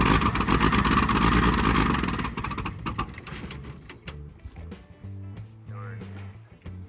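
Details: 1964 Dodge D100 truck, sitting since 1996, fed gas poured into the carburetor: catches and roars briefly, then stumbles and dies within three seconds; the carburetor's accelerator pump is not working.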